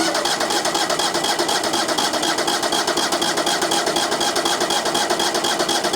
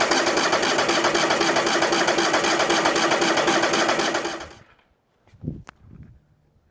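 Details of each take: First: Brand-new small engine on new sawmill, first start after opening fuel tank valve: loud steady buzzing idle, even pulses about four per second, no misses or knocks; normal idle. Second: New sawmill engine cranking: fast, even starter whirring for about four seconds that never catches; no start because the fuel tank valve was left off, and the fuel filter was not filling.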